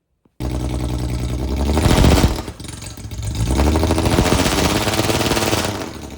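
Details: Cheap Jaguar with a suspected failing transmission and a welded diff shows engine failsafe mode during a burnout attempt. The revs climb, hold flat, dip and rise again, never reaching high rpm. Limp mode is capping power.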